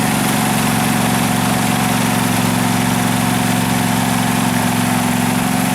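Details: 2012 Husqvarna riding mower that survived a flood, run before any carburetor cleaning: an even, steady idle with a smooth low thrum and no misses, knocks or surging, a normal settled idle.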